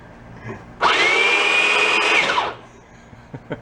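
Motor spins up into a steady high whine with even gear hum for under two seconds, then winds down; runs normally on twelve volts.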